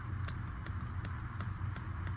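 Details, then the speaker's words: First-gen Audi R8 paddle shifters: the left (driver's side) paddle clicks crisply, about four a second, over a low steady engine rumble, while the right paddle is stuck and silent; normal paddle click. "Whereas on the passengers or the driver's side, on the left side, you can hear it."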